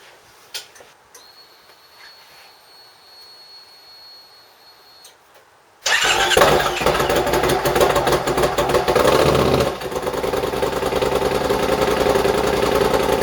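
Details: Triumph motorcycle first start after the rebuilt, repainted exhaust was fitted: quiet, then catches and settles to an even idle with clean throttle blips; runs smooth and healthy.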